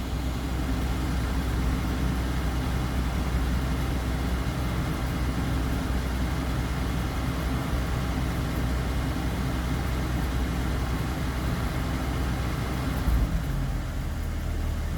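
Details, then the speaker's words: 1996 Jeep Cherokee Sport 4.0 six-cylinder, hot after about 13 minutes idling: steady low idle falters and dies, then won't crank back until cooled, typically an hour or more; cause unknown; stalling at idle when hot. "There it goes. 13 minutes and something. It died. Then when you go try to crank it again, [laughter] nothing. It won't crank back."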